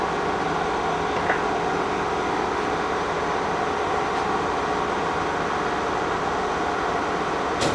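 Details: K&T milling machine, first run after restoration work: spindle stepped up to 1660 RPM. Steady, even gear hum with a constant whir and no knocks or grinding; it runs normally and sounds good.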